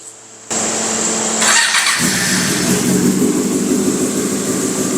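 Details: Yamaha R6 being flipped: fires straight up, quick blip of revs, then settles to a steady smooth idle; nothing abnormal in the engine, normal start and rev.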